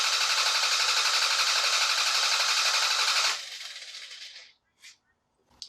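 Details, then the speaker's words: Toyota/Lexus during a starting-system test, EFI relay pulled so the engine cannot start: 15-second crank while monitoring battery voltage. Quick, even cranking rhythm about four beats a second that stops cleanly; healthy starter. "allow us to crank it over and have it not start up this purple relay incidentally shown here this is the starter relay if we remove this relay the engine would not crank over that's not what we want for this case we want to crank the engine over for 15 seconds and we want to keep an eye on this multimeter as we do it"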